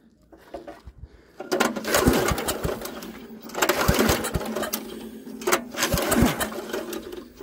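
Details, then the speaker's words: Troy-Bilt rear-tine tiller with spark tester fitted: three recoil pulls about two seconds apart, turns over but never fires; tester shows no spark, later fixed by cleaning the magneto. "happens i'm not seeing now spark okay so no spark let's remove that spark plug and see what it looks like"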